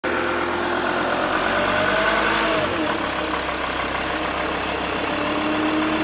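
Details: Mercedes-Benz W211 270 CDI diesel: droning mid-pitch hum from 1000 to 2000 rpm over diesel clatter, with and without the belt; starts well cold, no knocking; oil pump replacement didn't help; hum disappears when the front is raised 5-10 degrees; cause unknown.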